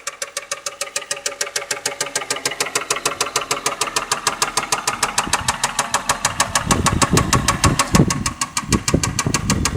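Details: 1993 Toyota Cresta 1JZ petrol engine at idle: sharp, steady knock of about three taps a second over the idle, an unidentified extraneous engine knock.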